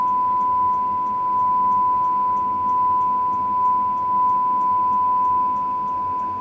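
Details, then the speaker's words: HMV "Little Nipper" 63-53 valve radio whose fault is fading volume (leaky cap to the 6M5 grid suspected). During alignment at 1400 on the dial, a steady pure generator tone with faint ticking plays while the stage is trimmed for maximum signal. "We'll put up with that noise while we're doing this. We're trimming this fella here, maximum signal."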